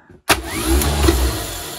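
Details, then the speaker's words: Fendt tractor that would not start at minus 7 °C with a weak battery: the starter kicks in sharply and spins up to a steady, even whir with no grinding or stutter, working again in the function test. "Yes. Er geht wieder! Er funktioniert."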